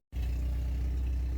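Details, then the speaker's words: 1983 Porsche 944 held running on the throttle: a steady, slightly uneven low drone that would stall without the pedal. It won't idle. "Yep, doesn't want to idle, but it's... Well, no, it still doesn't want to start."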